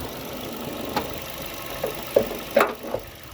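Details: May 2008 Honda Jazz 1.4 i-DSI petrol, 78k miles, after the air-con compressor was switched off: quiet, soft idle with only faint scattered ticks from the bay; smooth and healthy.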